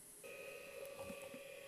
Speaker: okay I just did get a the dink sound so I think we have a drive 6 gig drive